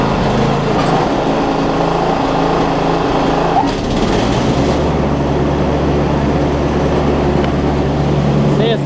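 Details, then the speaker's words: Newer Snapper rear-engine rider mower with push-mower-type engine, after carb bowl drained at the bowl nut and spark plug swapped: steady, even engine drone holding one speed without surges or stumbles; running smoothly now. "ght joe it sounds like it's running better now i just kind of purged a little bit of the fuel that was in the carb bulb by loosening the uh the bowl nut just draining a little bit of gas out"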